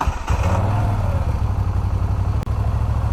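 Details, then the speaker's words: 2017 Moto Guzzi V9 Bobber, 853 cc fuel-injected 90° transverse V-twin, just started: deep, lumpy, steady thumping idle with strong rumble and visible vibration, no odd knocks; normal idle. "j'adore j'adore vous avez vu comme ça vibre regardez-moi ça énorme"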